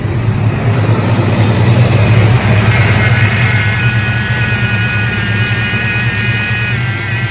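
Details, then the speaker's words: 1988 Ford Mustang GT (Fox body) idling with a steady droning whine over the rumble. Power steering pump is noisy, 'screaming banshee', before its replacement; possibly low fluid, not confirmed. "the current power steering pump sounds like a screaming banshee whenever the car is running"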